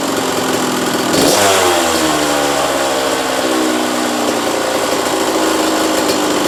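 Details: 1985 Kawasaki KX125 125cc two-stroke, in neutral: quick rev blip, then a crisp, steady ring-ding idle with no knocks or misses; motor sounds sweet, normal running.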